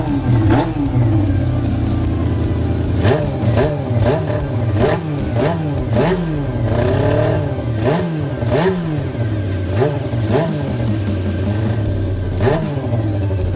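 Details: Honda CB400 four-cylinder engine with four square carburetors, fitted to an off-road golf cart with a modified throttle linkage. Steady idle broken by a dozen quick, clean blips; it revs freely and sounds healthy.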